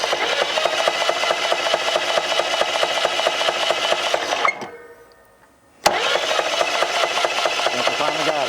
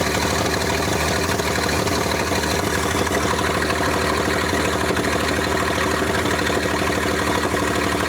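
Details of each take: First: 1947 International KB3 fuel truck engine, previously locked up after 30 years, rebuilt with rusted parts replaced: rough uneven clatter about two beats a second while cranking, noise seemingly from the rear; owner fears a bad rod or main bearing. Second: 1947 International KB3 fuel truck, previously locked up, first run after 30 years and an engine rebuild: even, steady idle with a smooth low throb and no knocks or misses; normal idle.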